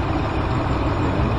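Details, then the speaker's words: 2014 Dodge Ram V8 idle, P0207 misfire: low steady rumble with faint uneven shake; cylinder 7 misfiring while cylinder 5 fine, logic probe shows current but no injector pulse on cylinder 7 circuit. "Al parecer está fallando el número siete. El cilindro número siete, número cinco se encuentra pues en parecer en perfecto estado."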